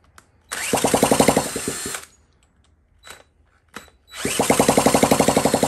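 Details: 1979 Honda Z50 with fuel poured into the carburetor bowl from a bottle: catches with quick even firing for about 1.5 seconds, dies, then catches again as the carb runs dry; fuel starvation.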